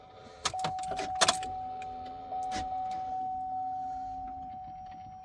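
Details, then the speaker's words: Chevy Trailblazer after fuel pump installation; at key-on a steady mid-pitched hum runs about three seconds then fades. Normal fuel pump priming. "I definitely hear that fuel pump."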